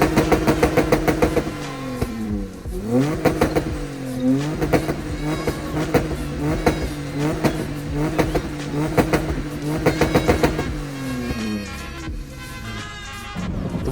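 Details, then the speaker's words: Honda Civic, 200 bhp manual, fairly standard engine, parked up a while: petrol engine blipped repeatedly, pitch climbing and falling cleanly, smooth and even, no knocks; healthy engine revving. "And for a fairly standard engine, it actually sounded pretty good as well. Have a listen."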